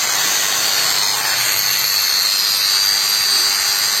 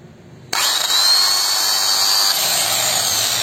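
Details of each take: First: Makita hand grinder tested after replacing worn bearings that had made it sound rough: steady, even high-pitched whir with no rasp, rattle or speed wobble; runs smoothly after the repair. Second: Makita angle grinder with its guard removed, switched on: a harsh, gritty high hiss and thin whine, a sign of worn armature bearings.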